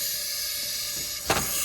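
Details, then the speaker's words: Chinese wastegate bench-tested with air pressure, still not really open at about 20: a steady high hiss with a brief surge as air escapes through the actuator stem, even at higher pressure. The wastegate is leaking and judged toast. "So as you can tell, it's leaking through the stem, leaking through this piece, thus coming out here. So even in the upper levels, it's still leaking."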